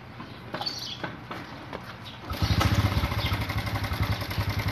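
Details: Honda XRM motorcycle after a fix for throttle delay, engine vibration and low power: quiet at first, then the single catches and settles into an even, steady putter with no misfire. Normal running.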